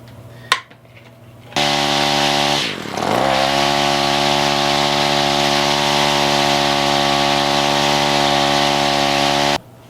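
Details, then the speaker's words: Free roadside Ryobi weedeater two-stroke, throttle adjusted to next position: after a brief dip holds a clean, steady high buzz without surging; runs and idles fine. "is that I do believe is good now to go it idles fine"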